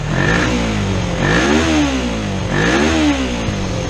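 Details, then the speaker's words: Kawasaki EX250 Ninja twin just after a carburetor clean, with the choke turned off: it idles high, fast and uneven, its pitch swelling and sagging. The idle screw needs turning down. "now it's idling high so all I got to do is turn on idle down we should be gold"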